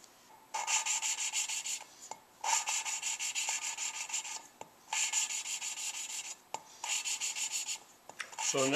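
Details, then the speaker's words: Lapping a new valve on a Suzuki Sidekick head rebuild. Repeated rasping bursts about every two and a half seconds start gritty then smooth out, with only slight heavy grind at the start, so the valve is nearly seated. "there's just a little bit of a heavy grind each time I start turning it pretty much going now"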